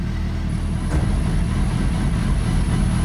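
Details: Renault Twingo swapped with a Suzuki GSX-R 1000 motorcycle engine, just after first start once an air sensor was reconnected: a deep, steady rumble with an even beat, no knocks or misses. It is running healthy.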